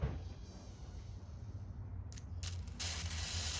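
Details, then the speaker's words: 2004 Chevy box truck V8 fuel injector tested with the fuel repressurized: hissing spray bursts over a low background rumble, opening up wide near the end; the injector opens and sprays, though correct spray is uncertain, unlike number eight, which is stuck. "so that one spraying I'm not sure if it's spraying correct but it is opening and it is spraying"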